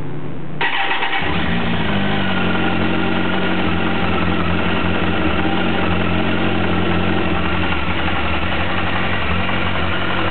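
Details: 2007 Kawasaki ZX-14, stock, 500 miles: after start-up the idle carries a deep, steady knock, about four per second, from low in the engine. Owner suspects rod knock; the dealer calls it normal for the model. Cause unconfirmed.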